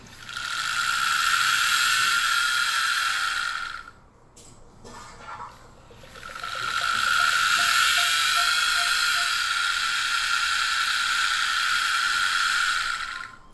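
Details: Nintendo Wii U disc drive making a harsh, steady grinding whir with a brief pause and faint ticking, then giving invalid disc errors; motor screws were loosened after overtightening, still not fixed.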